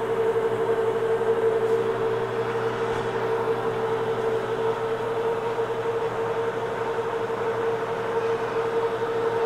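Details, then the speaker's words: Homemade hobbing attachment gearbox on its first run under power at very slow speed, without oil; steady mid-pitched gear whir at an even level, no clicks, grinding, rough spots or binding; runs normally. "under power for the first time that's not bad I'm going to run the speed up just a little bit doesn't seem like it's binding anywhere"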